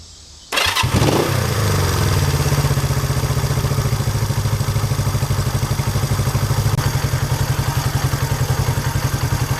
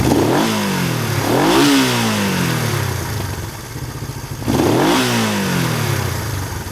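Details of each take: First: Honda 350 twin after throttle cable, carburetor sync and idle mixture adjustment: fires right up, then a slow, lazy thump about two beats a second; idle set low. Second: Honda 350 twin motorcycle after throttle cable adjustment, carburetor synchronization and idle mixture/speed tuning; revs up smoothly three times and settles cleanly, no pops, misses or stumbles.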